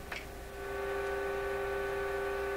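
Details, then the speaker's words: Canadian General Electric KL-96 tube radio during IF alignment with 455 kHz signal fed in: steady even hum in the speaker caused by the test meter connected at the AVC voltage point; it disappears when the meter is removed. "You can hear a bit of a hum in the speaker now, if you listen."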